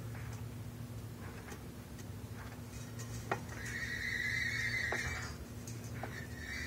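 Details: Silverado transmission (460LE) gives a thin, steady high whine/squeal lasting about a second when the driveshaft is turned by hand counter-clockwise (drive direction); silent when turned clockwise (reverse). Cause unclear.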